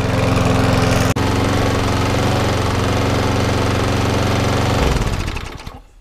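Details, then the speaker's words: Briggs & Stratton 3.5 lawnmower after 5–10 minutes of running: a quick, even single-cylinder beat at steady speed, then a clean wind-down at shutoff. It was very smoky at first but now runs fantastic. "Okay, that runs pretty well. It was very smoky to begin with, but that runs fantastic."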